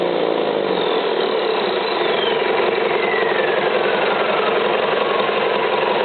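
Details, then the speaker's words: Rebuilt Isuzu 4BD1-T turbo diesel, destined for an FJ60 Land Cruiser, on its first start after the rebuild, run briefly without cooling water connected. It settles into an even idle with a steady clatter, no misses or heavy knocks; running like a champ. "all right don't want to run her too long cuz I don't have it hooked up to water but uh seems to be running like a champ"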